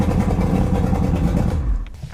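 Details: 1999 Johnson 200 hp carbureted outboard on a bass boat, cold start at about 70°F after not being run for a while, cranked with quarter throttle: runs steady and strong with a quick rhythmic beat, then shuts off cleanly; normal.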